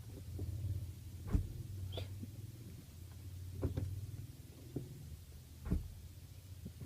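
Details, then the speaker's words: Reverse gear engaged twice at idle, each time a single sharp clunk; normal engagement knock, can occur when the clutch is not pressed fully to the end. "2 बार हमने गियर को लगाया और दोनों बार जो है वो आवाज आई एक कड़क की।"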